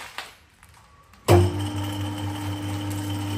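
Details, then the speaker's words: Harrison 140 lathe with 3HP motor, new taperlock high-speed pulley (750 to 1000 rpm) and new A68 belts: motor starts with steady hum and faint light rattle from the copper clutch plate chattering on worn holes around hardened 8mm pins. "we'll start with that but you can hear this this clutch flch plate is very noisy"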